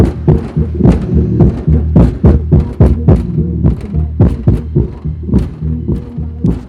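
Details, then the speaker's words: Kicker CVX 15 subwoofer after voice-coil rattle repair (coil epoxied with panel bond, cured overnight, terminals resoldered; coil not blown, correct resistance), low power: deep punchy bass thumps about 107 per minute, no buzz or rattle; normal playback. "keep in mind there's not a whole lot of watts running through the speaker right now whatever i mean even at this low volume when i had it hooked up you'd hear the voice core rattling like crazy and fortunately i don't hear any rattle at all"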